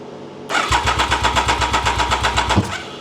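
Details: Triumph Daytona 955i project motorcycle, bought broken, after finding water in the fuel: starter cranks about four even pulses a second and the engine tries to catch on easy start spray but won't run on its own; injection system suspected.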